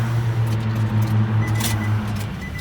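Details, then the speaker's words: 2005 Nissan Altima that died while driving, cranking during a fuel pump circuit voltage-drop test: starter churns with even low pulses, about five a second, but the engine never fires. Crank no start; the pump primes and draws current, and a fuel gauge reset is suspected. "There's the prime, here's the crank. So we know that can handle current, that it's working."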